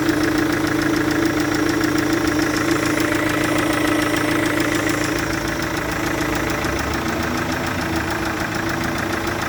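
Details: Chevrolet Captiva VCDi diesel at idle: steady idle with a sharp, regular ticking puff about three times a second on top from compression leaking past an injector seal.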